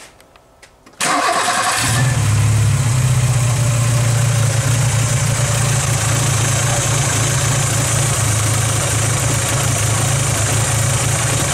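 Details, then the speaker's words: Mk2F VW Polo carburettor engine, running oddly and using a lot of fuel: starts on the key, then a low idle surging up and down; owners suspect a vacuum leak or a split carb flange, which they plan to replace. "start open have a listen just hunts like a vac or something so I'm gonna solve that"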